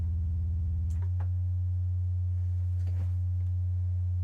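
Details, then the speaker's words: Misbehaving modular synth with distorting sine output: with the envelope module unplugged, a steady pure low tone holds without buzz or grit, a clean sine wave; plugging the envelope back in brings the distortion back. "and we go back to what sounds like a cleaner sine wave"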